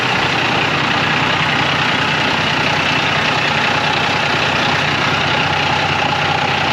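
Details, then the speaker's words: School bus DT466 diesel idling after hose work with the water valves turned back on, checked for leaks; loud steady diesel clatter with an even beat, no misses or knocks; normal idle. "I'll get my tools down here and we'll crank it up."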